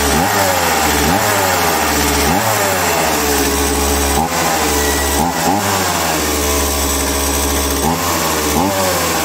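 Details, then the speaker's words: STIHL MS170C chainsaw, brought in for not starting and an oil tank melted by catalytic exhaust heat, started properly with the choke before repair: small two-stroke fires and runs, pitch rising and falling with throttle blips, picking up cleanly each time. "Bueno, pues parece que la máquina va. Si solamente era eso, menudo vídeo de mierda que vamos a hacer, ¿no?"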